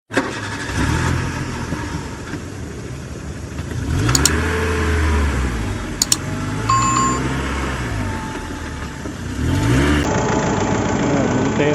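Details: Mitsubishi Montero with no check engine light or fault code, fuel rail pressure reaching 50,000 kPa at idle: uneven, stumbling idle that drops a pulse now and then; misfire at idle, cause unknown.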